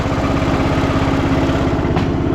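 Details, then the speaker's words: 2010 Craftsman LT2000 riding mower after un-seizing the engine, run briefly with shroud off and low oil: single-cylinder idles with a steady even low thump, no knocks or misses; runs perfect. "thing runs perfect."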